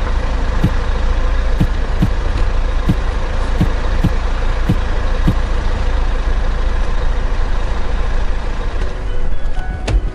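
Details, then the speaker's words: Hyundai Santa Fe DM with R engine, used-car check: sharp knocks about once a second from inside the steering column as the wheel is turned, pointing to an MDPS or steering gear fault. "mdps 에 문제일 경우에는 핸들에서 만 소리가 납니다 지금 들리는 소리처럼 탁 탁하고 일정 북 안에서 소리가 난 차량은 mdps 혹은 몸무게 없죠 이상 있는 자 라고 보시면 됩니다"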